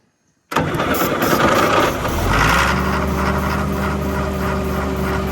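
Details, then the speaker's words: John Deere grader or 6850 articulating tractor diesel being revived, at almost wide-open throttle: fires and catches, then runs with an uneven, lumpy, stumbling beat; air still in the fuel system, sound should change once purged. "Just keep it going. Okay. And then once it gets the air out, you'll hear a difference in it."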